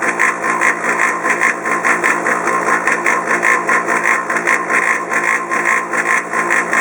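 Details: Polaris PB4-60Q quiet-model booster pump for a Polaris 380 pool cleaner, a few years old, running with loud whirring, a fast pulsing beat and hiss; heard over 100 ft away even in a sheltered enclosure, far noisier than normal.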